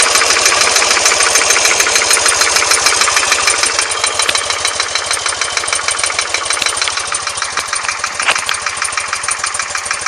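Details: BMW R100S about 500 km after engine rebuild, heads retorqued and rockers adjusted; sharp metallic knock, even with every firing at steady idle, on the left side when cold, gone when warm; cause not found, wrist pins and rod bushings fine.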